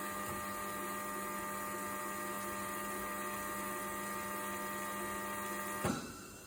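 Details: DeLonghi ECAM 23.266.B coffee machine drawing milk or flushing the milk tank: steady, loud buzzing drone for several seconds, then abrupt cutoff; abnormal noise, cause unknown.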